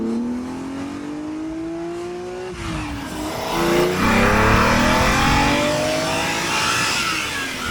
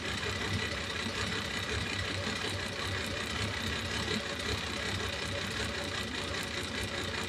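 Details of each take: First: Ferrari Daytona Spider V12 on a road test after repair: under hard acceleration a smooth, clean rising howl through the gears with no stumble or popping, all twelve cylinders pulling evenly. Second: Ferrari 365 GTB/4 Daytona Spider V12 at idle: lumpy, uneven beat with a hollow stumble in the firing, the rear cylinder on one bank not working again on reused, rescued spark plugs, number two also suspect; cylinder misfire at idle.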